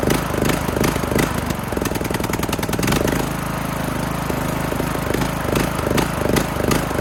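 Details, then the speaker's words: Craftsman LT2000 mower engine after new air filter, run directly off a battery, starter relay works: catches and settles into a steady, even putter with a few brief surges; runs cleanly and healthy. "Well, she runs. She actually runs pretty good."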